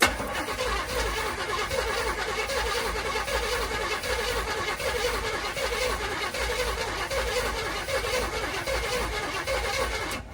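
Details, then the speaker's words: 1984 Chevy C20 square body, abandoned about 11 years, WD-40 sprayed down the intake: starter spins it with an uneven, loping gallop, one beat lagging each turn. Owner suspects a cylinder is low on compression. "like it does have a little bit of a gallop and when I say A Gallop basically what I'm saying is when it spins over you can kind of hear it going and basically that kind of means that we might have a hole that's down on compression a little bit"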